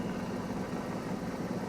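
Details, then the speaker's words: 1993 Ford F-250 with known fuel pump trouble: the engine computer gives no data and runs in limp mode, so the idle is poor, lumpy and hunting, with misses over a low drone. Rough idle from a failing engine computer. "so it's it's running and it's working enough to run but it's not working correctly it's basically in limp mode it doesn't know what to do so it sits here and it idles and it'll idle poorly it'll hit and miss it'll jump around a little bit"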